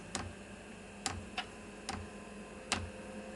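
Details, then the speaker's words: Newly installed diesel space heater at startup, 10-litre tank mounted outside: the dosing pump gives sharp, dry clicks about once a second, slightly uneven, in a quiet room as it pulses diesel through the filter; normal fuel pump ticking. "so that is pulsing through two milliliters of diesel there's the fuel filter you can just see it pulsing and you can hear things speeding up"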